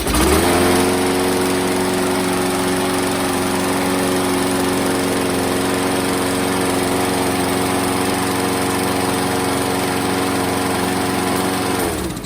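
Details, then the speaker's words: Craftsman 625 series mower with a Briggs & Stratton engine that previously ran rough, after a new gasket and a flipped flywheel keyway: it catches, then holds a smooth, constant buzz with no stumbling. Normal running. "Alright, that sounds real good."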